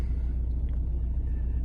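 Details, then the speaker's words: 2009 Ford Mondeo Mk4 2.0 TDCi diesel at cold idle: deep, heavy, slightly uneven throb with strong vibration through the engine and belt that doesn't fade when warm and disappears when revved; idle speed holds steady; dual-mass flywheel fault. "є така проблемка появилась вібрація на холостих обертах зараз дивіться запускаємо машинка холодна при прогріві не пропадаться"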